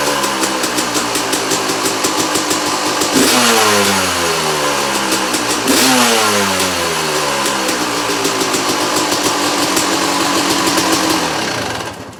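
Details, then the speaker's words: 2001 Yamaha YZ250 two-stroke motocross bike, first start, started without choke: crisp idle with sharp throttle blips climbing and dropping back freely, no bogging or misfires; normal two-stroke running. "engine sounds really sweet and it starts up really easy"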